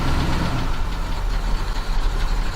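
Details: Detroit Diesel 12V92 two-stroke V12 in an ex-ARFF fire truck, warming up, heard from the back: deep, steady throb with even firing and no misses at its normal idle speed; normal idle.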